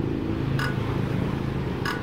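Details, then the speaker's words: Diesel engine with new, healthy injector nozzle, tested without tools by turning the flywheel by hand with throttle open: two crisp hissing sprays over low hum; injector atomizes cleanly. "Ya, menggunakan tangan aja seperti ini sahabat, maka akan ada suara solar keluar, dan perhatikan suaranya"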